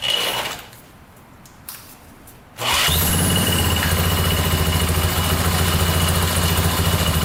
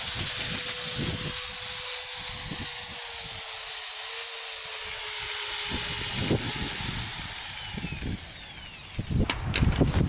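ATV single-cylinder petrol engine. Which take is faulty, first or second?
second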